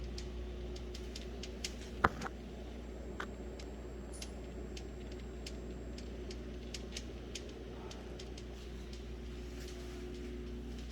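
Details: Whirlpool refrigerator: quiet steady hum with light, irregular ticks every half second or so; clicking noise, cause not yet clear.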